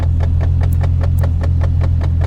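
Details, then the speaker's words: Salvage auction car, automatic, possibly missing exhaust, idling: sharp regular clicks about five per second from behind the dash over a smooth idle; blend door actuator clicking. "Click, click, click, click. Yeah, blend door."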